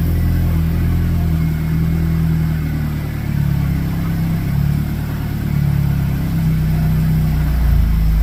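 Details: Nissan 180sx SR20 after replacing the power steering pump and adding fluid: steady even idle with mild rev swells, no whine or groan; new pump normal, fluid to be flushed of shavings.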